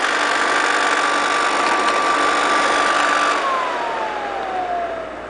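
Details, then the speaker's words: Vintage Lady Sunbeam hair dryer bought used, before cleaning, blowing warm air: steady whirring with an even high tone that slides smoothly down as it spins off; motor runs clean and healthy. "I used to like to listen to the sound of it it just sounds so cool when it starts up"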